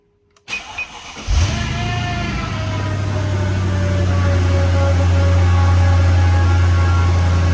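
Brief starter crank, then the V8 catches and settles into a deep, steady, even idle with no knocks or misses.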